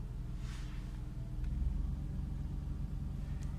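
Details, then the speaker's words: Mercedes W124 petrol engine idling after cleaning the clogged fuel tank strainer: the engine tries to stall at first, then revs even out to a steady low rumble; fuel pump, previously loud, now barely audible. "от оборота выравнялись все нормально работает"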